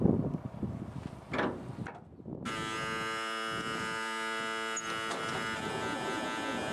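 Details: REO truck first cold start of spring with choke and throttle out: after clatter, loud steady electric buzzer holds continuously; low air pressure warning, no brakes until air builds.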